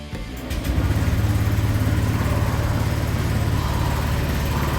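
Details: Used Honda Vario 125 LED scooter, 76,000 km: after a short start it settles into an even, low idle with no knocks. Engine judged normal, though rough CVT noise and an unstable idle were noted afterward.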